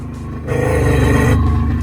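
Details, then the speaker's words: Jet ski with flame arrester fitted, revved after sitting a few days: deep rumble rises with a rough, loud metallic clanking at the back near the impeller whenever revved; cause unknown. "i don't know what's wrong with it it's like whenever i rev it up it does that so we're gonna have to figure out what that is"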